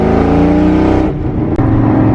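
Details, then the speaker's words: Supercharged Mustang GT after cleaning a wet coil pack, pulling hard under throttle: the tone climbs, then briefly stumbles and dips; it still misfires under load, perhaps slightly less than before. "Okay, it still had a miss. Didn't feel as bad. Alright, so definitely still had a miss."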